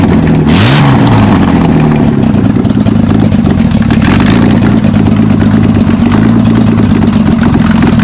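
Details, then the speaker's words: VL Commodore after ignition and cam timing adjustment, exhaust not yet fully fitted: one rev blip, then unmuffled idle holding speed with faint unevenness; idles but not fully smooth. "I I think it idles certainly idles now I wouldn't say that's as smooth as a baby's bottom know but we need to get this exhaust on"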